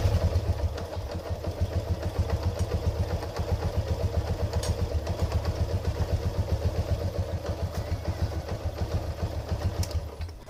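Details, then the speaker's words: Yamaha LC135 ES motorcycle engine reassembled after replacing the faulty bearing, run while the clutch is pulled to check whether the strange internal noise is gone. Steady single-cylinder putter of about four beats a second, no rattles or grinding; healthy normal idle. "sekarang ni kita tinggal Coba bagi hidup dulu sambil kita tekan CL sama ada bunyi itu hilang ataucam mana Tapi ini memangir hilanglah sebab kita buka memang bearing bermasalah tadi"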